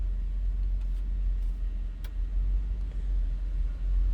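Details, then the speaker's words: 1962 Ford Thunderbird hardtop, 390 V8, 89,352 miles believed original. Cold-blooded, so started after a couple of pedal pumps. Low, even idle rumble with no misses, knocks or ticks; running pretty smooth. "All right, running pretty smooth."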